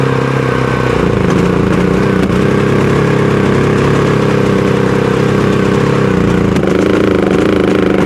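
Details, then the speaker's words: Predator 5000 generator pull-started on propane after failing to start with a low battery: steady drone with uneven, lumpy firing and slight hunting, running rougher on propane than on gasoline and sounding like it is choking itself out; owner suspects a rich mixture from the plug reading; rough running and surging. "All right. Definitely runs rougher on the propane. Um, and definitely sounds like it's choking itself out."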